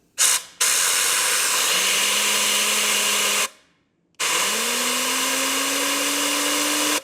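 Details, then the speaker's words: New genuine turbocharger for 2016 Mercedes E-Class W213, 654 engine, 3,900 km, spun with air gun on bench: clean whir rising smoothly with each blast, no scraping; old turbo had damaged impeller, seized guide vanes, failed actuator. "터보 회전 이렇게 돼야 되거든요"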